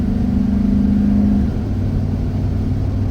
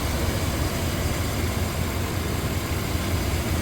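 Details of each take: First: Rebuilt 1997 Chevrolet K1500 Silverado Z71 5.7L Vortec V8 with rebuilt transmission and a P0137 code, driving: a steady low jet-like howl over the engine as the throttle opens, then it fades into road rumble; quieter than in limp mode. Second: 1997 Chevrolet K1500 Silverado Z71, 5.7L Vortec V8, rebuilt engine, ECU reset while troubleshooting P0137, idling after 20 minutes with AC on: deep, even V8 rumble, steady idle with no hunting; normal idle.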